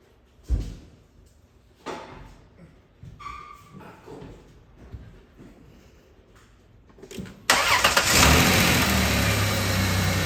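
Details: 2000 Chrysler Town & Country/Dodge Caravan 3.3L/3.8L after serpentine belt tensioner replacement (belt had shredded off): engine catches and settles into a steady, even idle with no belt squeal or chirp; tensioner runs straight.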